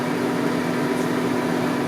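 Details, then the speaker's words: Coleman rooftop air conditioner on a full-time RV, heard running all night with a loud constant droning hum over rushing air, noisier than normal; unit clogged with outside dirt pulled in, needing an emergency cleaning from the roof side. "All that noise up there, that's not normal. Oh my gosh, what am I doing up so early and what's the issue?"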